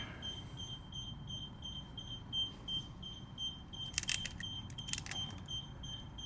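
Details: Infinity Shield multi-beam garage door sensor during installation, beeping because a wire broke while hand-stripping: quick, evenly spaced high-pitched beeps repeating over faint handling clatter; beeping is optional and can be disabled.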